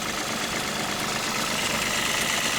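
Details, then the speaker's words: Toyota idling with a steady high whirring and faint whine; the water pump has a slight wobble, and the owner suspects its bearing, possibly the alternator; bearing noise at idle. "Yeah, that water pump. You can't really tell, but it's got a little bit of a wobble in it. So I imagine that's where we're getting that noise from. It's like a bearing noise like a drive bearings."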